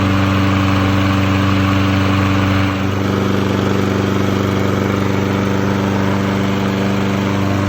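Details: Toro lawn mower, which had died after 3 minutes from a fuel line restriction, after a new carburetor, fuel line, spark plug and air filter: smooth constant beat, no surging or dying, only a slight settle partway; normal running.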